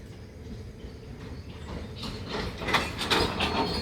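Loose rattling clatter with some high squeal building as the loaded wagon pulls away; the cause is undetermined.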